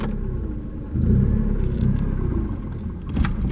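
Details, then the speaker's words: 1989 Ford Mustang 2.3L inline-4 on its first start after 9 years sitting: a low, lumpy rumble that picks up briefly with throttle, then sags back toward stalling. The idle is too low, and in gear it barely moves. "yeah we got to kind of keep it idling cuz it'll idle way too low"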